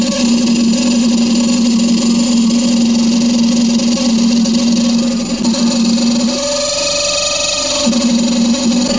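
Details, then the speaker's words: Washing machine running: steady dry squeal and creak over the turning drum, pitch shifting briefly mid-run, from a dry, worn spin-shaft bush; a simple fix that can be done at home. "दोस्तों अगर आपके भी washing machine से इस तरीके से आवाज आ रही है तो आप इस समस्या का समाधान अपने घर पर ही कर सकते हैं"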